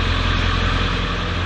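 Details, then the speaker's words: 1995 Ford F-250 7.3L Power Stroke V8 diesel idling after a glow plug relay replacement cured a no-start: deep, even rumble with no stumble or miss, slightly smoky exhaust; normal idle. "7-3 power stroke with a new blow plug relay cheered that no start issue right there she's a little smoky back there in the back end but"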